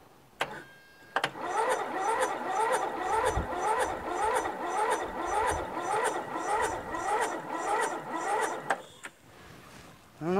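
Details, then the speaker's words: Toro Wheel Horse lawn tractor with a Briggs 1238XL flathead, after a new battery, magneto replacement and carburetor cleaning. The starter cranks sluggishly at about two labored turns a second and never catches. Cranking is too slow to fire; a battery charger helped somewhat. "it just doesn't seem like it's spinning fast enough does it"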